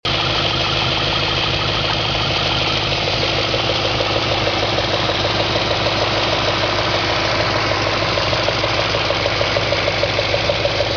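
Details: 2004 Audi S4 4.2L: even ticking knock about three times a second over a smooth idle, constant throughout; knock at idle, cause not yet found.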